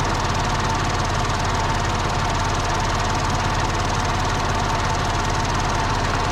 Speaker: Hear that little clicking? That's what map sensors sound like. That is the map sensor.